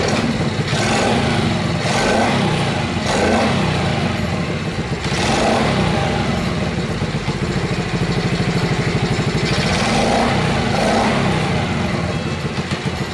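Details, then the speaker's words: Chaly motorbike converted from 6V to 12V, hard to start, after muffler replacement: uneven lumpy idle surging every second or two with ragged exhaust beat; still running rough, owner next turns to the carburetor. "Ngay cả khi tôi đã thay ống pô, nó vẫn có vấn đề."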